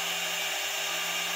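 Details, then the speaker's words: 2.2 kW water-cooled CNC spindle running free at 24,000 rpm without collet nut, VFD fan running: steady high whine near 400 Hz under strong airy fan rush, no wobble or grinding; normal spindle running. "the water cooled spindle neither one have collet nuts that is 24 000 RPMs"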